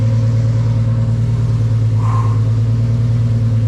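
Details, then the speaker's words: Turbocharged 1.5JZ-swapped BMW E46 M3 on its first start after a two-year build: deep, steady exhaust with an even pulse and no knocks or ticks, turbo spooling, air-fuel around 13.8–14 (rich); engine runs smooth and healthy. "This is crazy to see this. It sounds so healthy."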